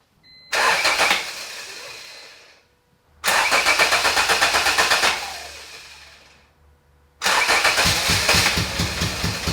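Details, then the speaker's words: 1988 Honda CRX Si with freshly swapped B18C Type R engine and transmission, first start; starter catches and the engine fires in three short bursts of rough, pulsing revs, each fading out; engine first start. "So I'm going to go ahead and grab the key and see if I can get this thing turned over and see if it's going to fire"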